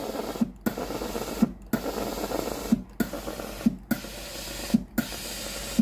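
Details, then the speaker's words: Philips GC9682/80 steam iron, powered on and ready, water switch pressed: pump pulses about once a second with wet sputtering and no steam hiss, water dripping from a cold soleplate because the heater isn't powered; failed heater relay (ALDP124). "เพราะขณะที่เครื่องพร้อมใช้งานแล้วหน้าเตาเย็นนะครับตัวนี้หน้าเตาไม่ร้อนนะที่ออกมาที่ฮีเตอร์หน้าเตานะครับตัวนี้เป็นหยดน้ำนะครับ"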